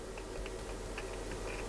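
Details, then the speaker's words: Alan 38 CB radio, just powered on (it always starts on channel 9 after power loss): faint irregular crackles and pops over a low hum from the speaker; the potentiometers need cleaning and preserving, and the radio is also off-frequency (about 27.203 MHz). "Trzeszczenie takie. O. Potencjometry do wyczyszczenia, więc siłą rzeczy musimy to rozebrać, zajrzeć do środka."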